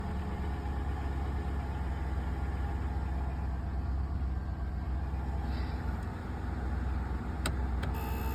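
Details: 2003 Lincoln Town Car idling with a steady low buzz, even and unchanging in pitch; source of the buzz unclear.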